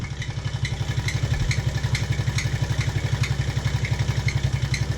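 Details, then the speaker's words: TaoTao 110cc mini quad, sat a while, with heavy blow-by and oil loss idling with a sharp regular tick about four times a second over the exhaust; a worn top-end bearing, said to improve when warm. "oh yeah you can you can hear that that bearing that went bad the top end we still use it though it's not like it's gone"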